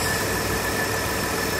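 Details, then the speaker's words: Mitsubishi Delica V6 after camshaft seal replacement, first run: steady, even idle with no misses, knocks or ticks; runs smoothly, normal idle. "but i mean it runs fine so yeah it's running really well slowly"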